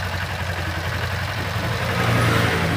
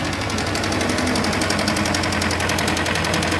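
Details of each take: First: Kawasaki Ninja 250 FI after cam chain tensioner repair: steady, even idle with smooth low hum, the cold-start ticking/clattering from the failed cam chain tensioner now gone; top end sounds healthy. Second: Kawasaki Ninja 250 FI: fast, even metallic clatter (kletek-kletek) over the idle from a slack cam chain; the fault is the worn cam chain tensioner at the front of the engine.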